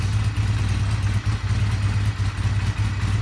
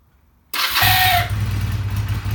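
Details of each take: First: Honda CB250 at about 50°F, owner's first bike, which struggles and honks on starting below about 50–55°F (owner suspects cracked starter clutch): steady, even low thrum just after cold start, no knocks, ticks or rattles. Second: Honda CB250 cold start at about 50°F (problem appears around 40°F and colder, fine when warm): a short reedy honk as it catches, then a rough low idle. The owner suspects a cracked starter clutch; unconfirmed.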